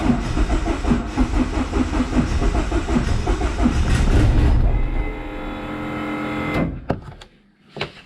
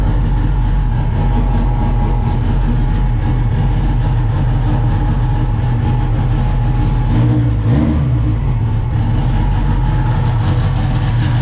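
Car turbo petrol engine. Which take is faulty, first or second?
first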